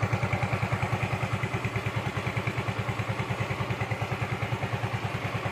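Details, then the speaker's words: Yamaha Mio M3/Mio Z 125 scooter after new piston rings and valve/camshaft ticking fix: idles with steady, even low thump, no ticking, only exhaust sound, thick white smoke gone. "jadi lihat dan suara ngelitik nya juga hilang kawannya mesin full adem yang terdengar hanya suara dari knalpot doang ya suara mesin adem langsam bagus"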